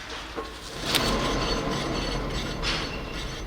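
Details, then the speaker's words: 2005 Scion tC, 169,000 miles, front passenger wheel spun by hand: rough grinding hum with light brake pad scraping over it, causing cabin noise when driving; worn front wheel bearing, to be replaced. "that humming do you hear how bad it is and that is causing a lot of noise in the cabin when I Drive it"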